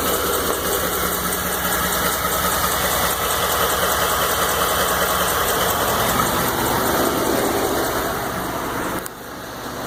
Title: 2012 f150 5.0 engine knock